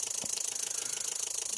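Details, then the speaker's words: Nissan Juke 2011 1.5 automatic after immobilizer key registration fixed a no-crank, starter-no-response fault: quiet, even idle with fast regular pulse and no misses or knocks; starts and runs normally. "mesin bisa hidup atau starter normal kembali."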